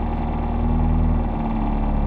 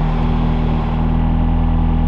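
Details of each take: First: McLaren 765LT Spider, owned two months, idling in the cabin with AC on: steady deep hum and low droning throb. Owner says sound deadening is removed and believes the engine mounts straight to the rear subframe, so vibration resonates through the cabin; considered normal. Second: 2022 McLaren 765LT Spider at idle with AC on: heavy low drone with steady pulsing throb resonating through cabin; owner believes sound deadening removed and engine mounted straight to rear subframe.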